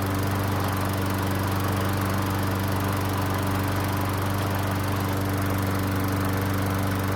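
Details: Stolen-and-recovered John Deere pull-start mower, cold, just started after suspected flooding from over-priming with the bulb: steady, even low hum with no surging or stumbling; normal running.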